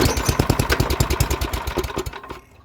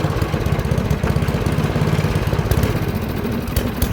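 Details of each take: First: MTD 24-inch snowblower with 8 hp Tecumseh engine, dirty carburetor bowl, fresh gas, full choke, throttle low, primed: quick even puffs around eight a second fade away without catching; cranking, no start. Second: MTD 24-inch snowblower with 8 hp Tecumseh engine after fresh gas, dirty carburetor the owner thinks isn't savable: fast, steady popping, fairly even with slight roughness, runs pretty good; normal running.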